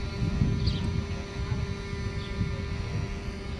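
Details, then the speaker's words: Mercedes 600SEL throttle body and EGAS module on test in the car, ignition on, engine off, codes just cleared, low battery voltage: faint steady mid-pitched electric buzz, the normal throttle actuator motor noise. "I just want to show you that the module you receive will have no codes in it clean troubles are still active as you can hear it making the noise"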